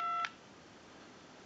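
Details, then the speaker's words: Bell South clear Lucite Trimline telephone, dialing into a line analyzer, number ending in 2: one clean quarter-second DTMF beep, then quiet line hiss. Normal tone dialing. "we want to go ahead and dial our numbers if you watch the analyzer you'll watch the numbers roll by"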